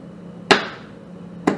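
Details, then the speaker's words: Practice HVAC wiring board on 24 V low voltage, no high voltage connected: thermostat set to cool energizes the indoor fan relay and compressor contactor, giving two crisp clicks about a second apart over faint mains hum, normal engagement. "if i turn it to cool then it's going to energize the indoor fan relay and the compressor contactor circuit so and you can see and hear it click"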